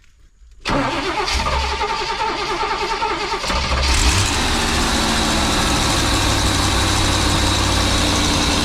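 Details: Birchaven motorhome, Quadrajet carb, after 12 years stored, fed from a gas can, radiator cap loose: cranks briefly, catches within a second, settles into steady, even idle with no knocks or misses; oil pressure up nicely, normal idle.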